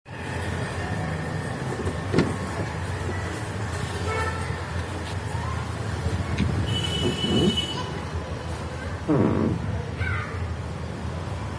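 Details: Car door opening and closing: short squeaky creaks rising and falling in pitch from dry hinges, fixed by lubricating the hinges.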